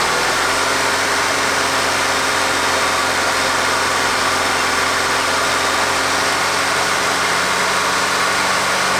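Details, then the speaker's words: Audi engine after retiming and reassembly with a new aftermarket camshaft, which had had no compression: a rough, uneven idle with crashing clatter; the scanner reports a cylinder 4 misfire, with ring damage found and a full teardown needed. "well this beautiful beast does run but as you can tell by the crashing going on under the hood there it's got a misfire"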